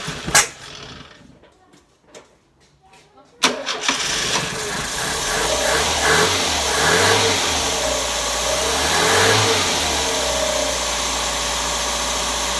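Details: Carburetted engine first start after sitting 6 months, carburetor burst used: a couple of short cranking bursts with pauses, then it catches into an uneven idle with blips; hard starting after storage.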